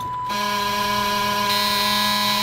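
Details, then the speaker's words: 2000 Chevy bus (Missbach) won't crank. A steady, continuous high-pitched buzz, the warning the owner associates with the back door being open. "I know the bus won't start if the back door is open and that noise sounds like the noise that you give when the back door is open"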